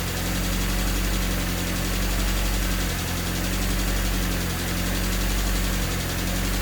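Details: Honda Civic with swapped D16Y8 engine, just after valve lash adjustment to spec, not fully warmed up: idle rises and sags every few seconds over a low mechanical rumble, a hunting idle still present; cause not found.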